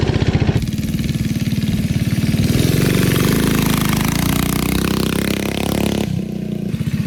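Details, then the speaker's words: 1971 Go Devil Model 104 mini bike with a Tecumseh HS40 single-cylinder engine, direct drive, being ridden after its revival: quick, even popping that climbs smoothly with throttle and settles back, no misses; healthy running. "that was awesome this thing is sweet it actually rides great you're carving out there"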